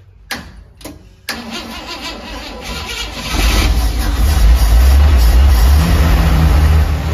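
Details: 1971 International Metro Mite, AMC 232 engine, 3-speed automatic: a few cranking bursts, then it catches and settles into a steady low idle. It starts properly after the vacuum advance was capped off, having seemed to have too much timing.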